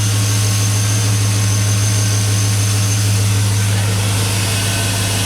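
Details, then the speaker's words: 2001 Chevy Silverado 5.3 Vortec V8 idling just after a Flowmaster Delta Force cold air intake install, no suction leaks felt: deep, steady idle, crisp and smooth, exhaust note now slightly more drummy; normal idle. "seem to be good just listen to that crispy running good back over here at idle a little bit change in exhaust note i can hear to my ears it's a little bit more a little bit more drummy now"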